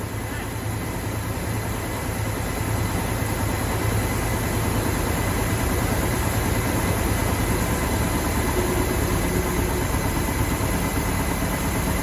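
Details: 1969 Mach 1 Mustang, apparently a 302 V8, sat almost 10 years, new NGK plugs, running on a chilly morning: loud, steady idle with deep even beat, no knocking or misses, healthy; a bottom-end knock developed only later.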